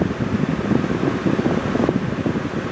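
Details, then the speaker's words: Honda truck A/C after replacing a failed relay at about 990,000 miles; compressor now engaging where it previously would not, vent temperature at 60°F and dropping toward 55°F. Steady, even air rush with no cycling, rattle or surging; normal A/C operation. "AC compressor has kicked on before it was not kicking on and we should get a reading right around 50° 58° 57° is what it should read right now it's at 60 and dropping"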